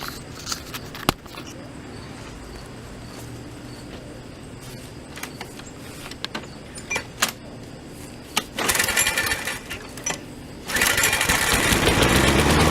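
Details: Toro SR4 mower small engine after repair, oil drained from overfilled level to proper level, primed: scattered clatter, then engine catches and settles into loud steady run with quick even beat; expected to smoke from excess oil.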